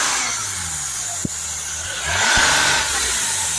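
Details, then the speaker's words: Mercedes E350 V6 CDI diesel with high DPF soot/ash readings unchanged after cleaning, revved: loud rushing air hiss swelling with revs, spray deflected away; boost leak. "There's a massive leak here somewhere. So you can hear a massive air gushing out of here, and when you spray the spray you can see it's been deflected away."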